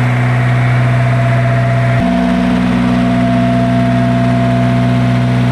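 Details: Isuzu diesel generator engine after hard-starting troubleshooting: steady, even drone with smooth low beat and no knocks or misses; normal idle.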